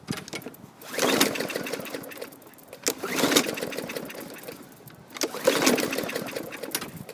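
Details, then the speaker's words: 2012 Murray mower, 500 series 158cc engine: three rope pulls, engine spins but never catches; cause unknown. "sounds like it's got compression but no action i don't know cylinder full of water who knows something ain't right"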